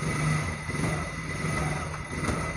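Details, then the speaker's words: Motorcycle shaking badly at 40-60 km/h; revving gives a coarse, shaking rumble and buzzy rattle from loose engine mounting bolts, other wheel and handlebar nuts checked tight. "कि यह बहुत ज्यादा इसके अंदर losing है engine के साथ जो है इसके लूज हो गए हैं"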